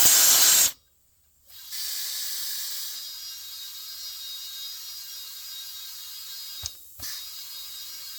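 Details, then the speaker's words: New Holland skid steer tire that would not seal at the rim, inflated with green sealer and slime: sharp steady hiss of air escaping past the bead, slowly fading as the sealant plugs leaks and pressure builds. "I heard the air coming out, and then I heard where the green stuff takes the liquid part."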